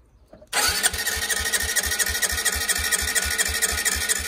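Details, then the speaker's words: Honda CB125R, a stolen and recovered bike, cranked with fresh petrol poured into the engine and air box: even compression beats about four a second, but it never catches. "doesn't sound good to be honest so i've put petrol right into the air box"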